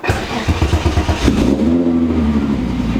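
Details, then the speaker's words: Restored car "Miley", battery reconnected after electrical issues: about a second of even cranking, then it catches cleanly and settles into a steady, smooth idle; normal start and idle. "Oh, she's just a happy car. Whoa. I don't think I will ever get tired of that sound."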